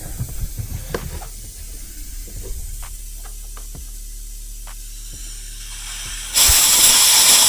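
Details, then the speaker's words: Suzuki SV1000S fuel injector pulsed 2-3 times during an engine rebuild, which cleans old sticky fuel: sharp regular clicks about three a second, then a spray hiss; the injector is working normally. "Voilà, on entend bien que ça fonctionne."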